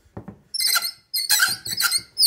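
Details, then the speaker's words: Old Frigidaire dryer drive motor, removed and detached from the blower housing, turned by hand gives high chirpy squeaks in short bursts; the squeak was traced to the motor, which is being replaced with a new, silent one. "So, I have a Frigidaire dryer that was squeaking, and I have determined that the squeak was in the motor."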